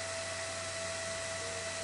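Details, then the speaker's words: Old desktop PC during Windows 10 install, before BIOS fan adjustment: loud steady high-pitched rushing whine, constant tone; CPU fan overspeeding near 6000 rpm. "you hear that fan it is actually going freakin nuts the fan is running at almost 6000 rpm right now"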